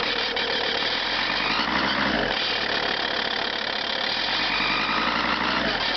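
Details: Lancia Thesis 2.4 JTD diesel at cold start: rattly, uneven clatter about three to four per second over a harsh hiss at idle; source not pinned down, owner seeks a diagnosis.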